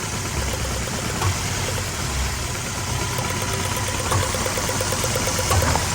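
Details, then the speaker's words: Nissan Altima four-cylinder idling, check engine light on but not flashing: uneven lumpy stumbling beat with one cylinder not firing; misfire caused by leaking valve cover gasket letting oil into spark plug hole. "Got a Altima misfire. Check engine light's on. It's not flashing for some reason. It sounds terrible."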